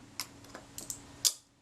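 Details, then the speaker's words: Retina IIIc camera shutter being reassembled after servicing a very sticky shutter, tired spring lubricated with molybdenum paste: a few handling clicks then one crisp clean snap as the shutter releases; fires normally. "yep it fires okay so that's good"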